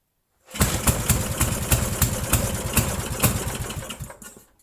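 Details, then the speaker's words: 8 hp Briggs & Stratton with remote primer, started after sitting about 5 years, new fuel line and filter: catches and runs rough and uneven, about three beats a second, then fades; runs only at wide-open throttle, carburetor needs cleaning, needle valve possibly stuck. "Okay, so it's only running with the throttle wide open. Choke doesn't have to be on. The carburetor just needs to be cleaned."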